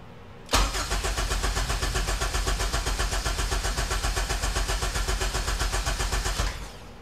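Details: K24Z-swapped Honda EK hatchback after long storage, oil already cycled by cranking without coils: starter cranks steadily about six seconds at roughly four turns a second and never fires; no fuel pressure, traced to a missing harness jumper.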